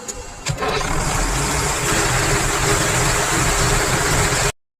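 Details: Cummins 250 kVA diesel generator, after repairing rat-bitten, cut controller wiring that caused under-voltage shutdowns: starter catches after a short crank, then a steady, even drone with no misses or knocks; healthy running.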